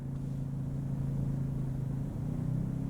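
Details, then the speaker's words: Ryobi 2300 inverter generator, auto idle switched via the GenControl app, running a small load of about 60 watts: steady low hum, then pitch climbs after about two seconds as it revs up out of economy idle; normal. "what else can we do here; settings; 'auto idle' It just revved up"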